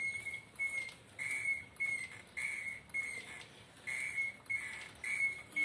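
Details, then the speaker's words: Motorcycle front end compressed up and down: sharp high squeak about every 0.6 seconds; dry worn rubber rubbing a painted part, often mistaken for fork trouble; fix is applying grease. "desgaste ó de borracha outra seca demais que trabalha sempre né aí faz contato com essa peça aqui ó centenas têm teor não né"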